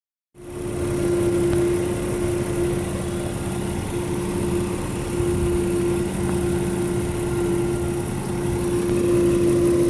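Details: 2000 Toyota Avalon XLS idling with a steady mid-pitched humming whine; the alternator was bad and died just after a battery replacement, and new alternator and belts removed the sound.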